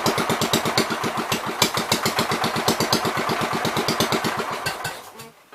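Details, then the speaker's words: 1973 John Deere 110, bought for $40, on gas during carb adjusting: uneven chuffing about three beats a second that stumbles and dies after five seconds; owner thinks it acts flooded, carb needs cleaning. "Kind of acts like it's flooded, but yeah. Alright. We're gonna have to clean the carb."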